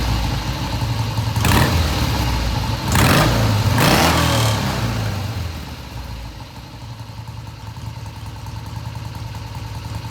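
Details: 1971 Triumph T120 650cc twin after carb tweaks of about an eighth turn: three clean throttle blips rise and fall without stumbling, then an even, steady idle; comes off idle with no hesitation; smooth idle and revving.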